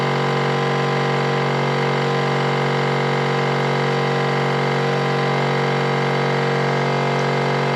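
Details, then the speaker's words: Air-ride compressor on a chopped LS-powered 1940 Chevy coupe: quiet when first plugged in, then a steady motor drone with a fast rattly pulse about three per second; noisy compressor with a small tank that runs too long. "see when I first unplug it or when I first plug it in it sounds nice and quiet and then that noise goes there it goes"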